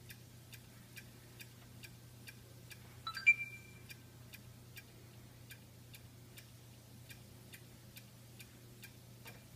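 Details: Xbox One game console in standby ("sleep") mode making sharp, evenly spaced clicks, a bit over two per second; owner says it also clicks while running, with or without a disc in the drive.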